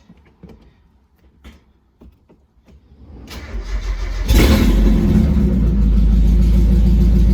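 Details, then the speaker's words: Mazda Miata with the catalytic converter removed, started on open exhaust: a few clicks, then a loud, deep, raw blatting rumble; open exhaust without the cat, before fitting the new converter for smog retest. "i think now that the cat's out of the car i think it's customary to start up the car with open exhaust this is going to be stupid"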